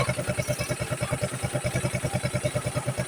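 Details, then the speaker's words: Yamaha Mio scooter, fresh build with 59 6.0 cams, idling with crankcase breather covered: soft even putter about three beats a second, no knock or rattle; quiet healthy idle, oil pump confirmed working. "Tinakpan ko yung breather."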